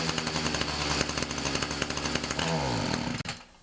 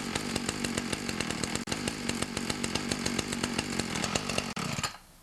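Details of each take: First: Ryobi 31cc two-stroke mini cultivator that dies when throttled up, before carb adjustment; buzzy note runs rough and uneven, then sags and cuts out; lean running. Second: Ryobi 31cc two-stroke mini cultivator after the low (L) carb screw was turned out 1/8 to 1/4 turn: crisp, even firing holding a steady fast beat for about five seconds. It runs well, with no stumbling.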